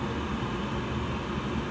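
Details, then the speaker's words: 2020 Evcon (rebranded Coleman) 65,000 BTU low-NOx gas furnace starting up. A steady, even whoosh and fan rush with no knocks or squeal as the draft inducer motor spins up cleanly before ignition; normal startup. "there goes the inducer motor the burgers will kick off very soon"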